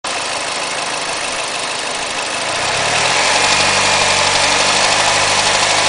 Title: Mazda 6 MPS: engine knocking at 1500 rpm